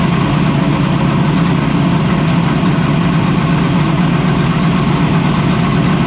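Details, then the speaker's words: Freshly built race V8, first start-up, brought up to temperature: deep, steady, even burble with constant note and no knocks or misses; normal warm idle. "So we fired up the engine. Everything looks good. Got up the temperature. It sounds great, right?"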